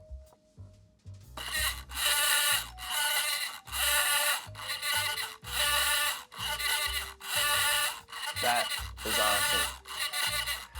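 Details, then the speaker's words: Safe-cracking robot's motor, held by hand and turning a cheap safe dial: rough scratchy crackle in regular bursts about every second. It comes from internal resistance inside the dial, not the motor, and is almost silent with the dial removed. "reason it's so noisy is not my motor, it's actually this cheap dial. It's got so much internal resistance, it has that loud crackling noise."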